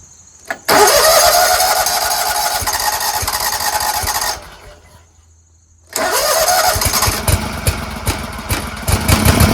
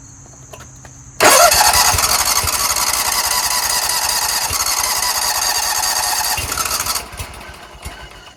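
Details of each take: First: Scag Tiger Cub 48-inch commercial zero-turn mower after reconnecting a loose choke linkage: engine catches at once and runs steady, then restarts cleanly after a short gap and holds an even running note; considered fixed. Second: Scag Tiger Cub 48-inch commercial zero-turn mower on a jump starter after hard starting; the engine catches then runs ragged and dies, traced to a disconnected choke flap linkage.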